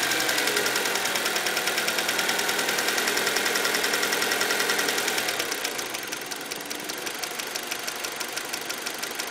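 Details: 2003 Acura RSX at idle: sharp, even ticking about three and a half per second, persisting after valves were already adjusted; source not yet found.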